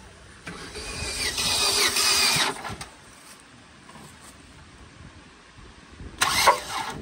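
Slow, uneven cranking comes in two bursts and the engine never catches: it turns over but won't fire. Cause suspected, not confirmed.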